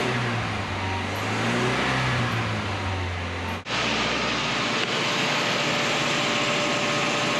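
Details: 1985 Nissan 720 freshly rebuilt engine warming up after first start, temperature coming up off the floor, oil pressure holding, PB Blaster burning off EGR connection; steady even idle, soft hum, no knocks or misses.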